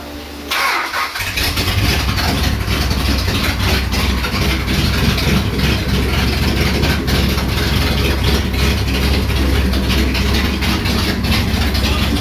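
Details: 1967 Dodge Charger V8 first start after rebuild: cranks briefly, catches cleanly and settles into a deep, even idle with a slight lope; sounds healthy.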